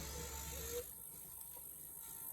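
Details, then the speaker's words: Electric fuel pump on Hemi-swapped car wired directly to a battery for injector testing: faint steady hum with thin constant whine, no surging or stutter; pump running normally. "So, now I just have the fuel pump hooked to this battery."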